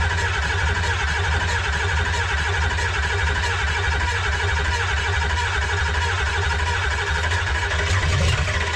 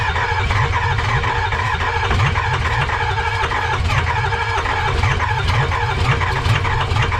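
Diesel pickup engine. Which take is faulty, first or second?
second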